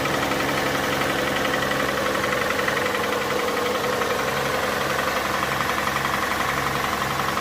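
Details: Hyundai Santa Fe 2.7 V6 idling cold: a steady knock about two a second under the engine noise; the source is not pinned down yet.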